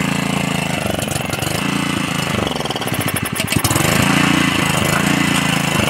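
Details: Honda GX80 water pump engine after tank, filter box and carburetor cleaning: small single-cylinder runs with brisk, steady beat, picks up speed smoothly midway, no misfire or hunting; running properly.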